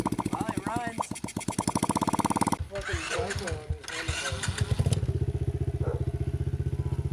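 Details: Loncin 70cc ATV single after cheap top-end rebuild, no air filter or exhaust: rapid sharp open-pipe popping, ticking over steadily between blips; fires evenly, healthy running.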